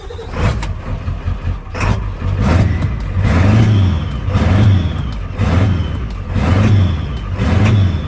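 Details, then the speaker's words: Ford Powerstroke diesel truck after a new lift pump swapped from another truck and cranking with ignition off to purge air; engine surges and sags about once a second, never settling into even idle: diesel surging from air in fuel, rusty tank suspected. "She got some air in it. It's running work."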